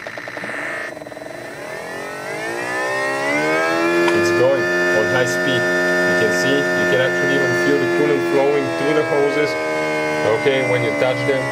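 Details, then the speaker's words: 2015 BMW X4 xDrive35i, N55 engine, electric coolant pump test activation: whine climbs, slows, returns to steady high speed with relay clicking and gurgling air while bleeding cooling system; normal operation. "you can hear even some air because we're bleeding the cooling system now guys but that's how we start the procedure"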